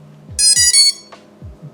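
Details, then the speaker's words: BrotherHobby Avenger v3 macro quad, power-tested on a bench supply at a 400 mA limit with temporary leads: all four motors chirp three short rising tones, then go silent. This is normal ESC startup; the draw is 27 mA with no short. "we should hear all four motors play the first three beeps the three rising tones and then stop"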